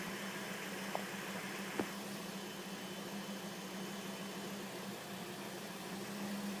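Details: 2005 Volvo S40 T5 with blinking MIL: quiet engine bay with a faint steady low whine holding one pitch over a soft hum; source of the whine not identified.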